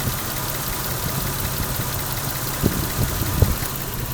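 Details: 1989 Toyota Supra Mk III single-turbo 7M-GTE parked at idle: low steady idle with an uneven pulse and irregular deeper thumps, slight cabin vibration and engine shaking on mounts; owner feels like one cylinder misfiring, unsure.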